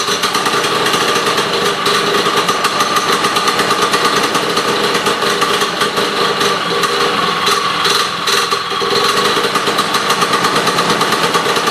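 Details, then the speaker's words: Sno Jet two-stroke snowmobile, now with key start and a new fuel line and filter feeding from its own tank: a high, buzzy drone holding a steady rpm, crisp and even with no misses. Normal running. "now random switches laying around but for now it starts and runs and and goes"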